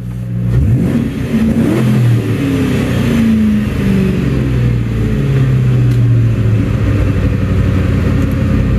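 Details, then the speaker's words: 1997 Ford Mustang SN95 with intermittent no-start, fuel pump sometimes not priming at key-on (owner suspects electrical): once started it idles steady, small wavering, no dips or misses; normal idle. "and it'll start me understand the [ __ ] going on and then look it'll run just fine"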